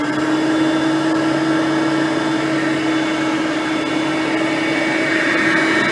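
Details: Hoover Platinum Collection lightweight bagged upright with a digital on/off switch, on high speed: steady, even motor whine with smooth airflow rush, no rattles or surging. Normal running, quiet direct-air vacuum.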